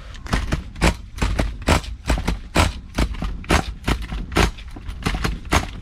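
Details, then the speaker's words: Nitro engine in a vintage Losi Muggy RC buggy, carb about halfway open: repeated uneven sharp bursts about once a second, catching briefly then dying; owner suspects an incorrect clutch bell assembly, not a fuel issue. "I'm thinking it's trying to fire, then it catches because the clutch is probably open, and it seems to be stopping the engine."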